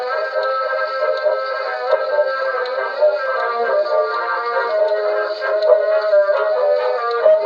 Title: here is what a defective Edison reproducer sounds like